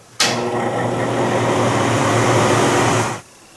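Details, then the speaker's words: Broan NuTone bathroom exhaust fan, about 20 years old, before motor replacement: constant rough, loud whirr with a low mains-like hum; really noisy and moving less air than it once did, worn motor suspected. "It's about 20 years old and it's starting to become really noisy and it's not moving as much air as it once was."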